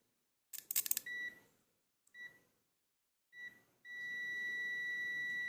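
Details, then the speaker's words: Testing a 4-/5-pin relay with voltage applied to the coil: multimeter continuity mode gives short beeps, then a steady tone. Pins 1 and 2 connect when energized; pins 1 and 4 do not. Relay contacts close properly. "Oke diantara 1 dan 4 ketika dikasih tegangan dia tidak terhubung jatuh dan empat ketika diberikan tegangan dia tidak terhubung yang terhubung adalah 1 dan 2"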